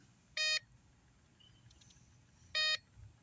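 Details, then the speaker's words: Homemade off-grid PV test station: the inverter gives two sharp beeps about two seconds apart over a quiet hum, warning of low voltage as the battery drops to about 11.7 V under a roughly 288 W bulb load. "it knows that the voltage is too low so the battery is the issue here the battery voltage drops down to low just by having 300 watts [Music] drawn not even 300 288 Watts drawn"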